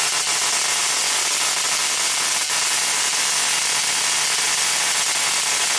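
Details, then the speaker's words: 555-timer ignition coil driver/tester on a 7 Ah sealed lead-acid battery, switched to a 0.05 µF capacitor: the sound changes and the frequency rises above 600 Hz, with the gap needing to be closer; a continuous harsh buzzing spark crackle; coil firing properly. "Now, as the value of the capacitor goes lower and the frequency goes higher, I notice the gap must be closer."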